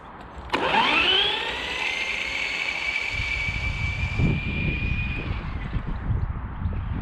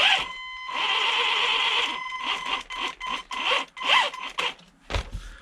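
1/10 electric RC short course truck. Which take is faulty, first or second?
second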